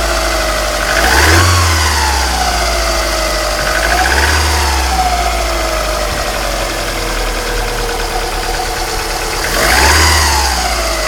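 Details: 1995 Alfa Romeo 155 2.0 TS 16V: clear whine climbs and falls with each throttle blip, settling back at idle; noise tracks engine speed, alternator bearings suspected but unconfirmed.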